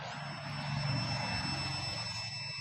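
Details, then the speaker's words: Hero BS6 motorcycle that would not start, after repairing a cut fuel-pump wire: at key-on a steady, even electric hum with a thin high whine for a few seconds; the fuel pump now primes normally. "ஓடுற sound கேட்குது. Of பண்ணி on பண்ணுறேன்."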